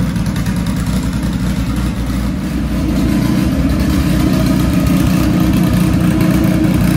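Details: Dodge Caliber SRT4 just after Precision 6266 turbo install with coated manifold and new gasket, idling a few minutes to warm up: steady even low rumble rising slightly partway, no ticking or knocking; no apparent exhaust leaks, runs fine, new tune still needed.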